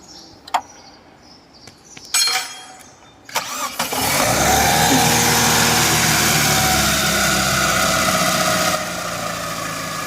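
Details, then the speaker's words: Chevrolet Optra 1.6 that came in stumbling, with rpm swings and stalling, after timing was set to the marks and the belt refitted: cranking clatters, then an even, steady idle with no stumble or hunting. "แล้วมันก็จะนิ่งขึ้นนะครับมันจะไม่กระตุกไม่อ่าไม่สะดุดนะครับมันจะนิ่งไป"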